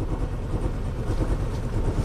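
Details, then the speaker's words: Chevy Cobalt with a wiring harness fire-damaged during welding, ECM and BCM replaced: lumpy, unevenly pulsing idle with a misfire, possibly from limp mode. Codes show CKP system not learned and minimum throttle position not learned. "Definitely not happy. Now you hear that misfire, that could be because it's in limp mode."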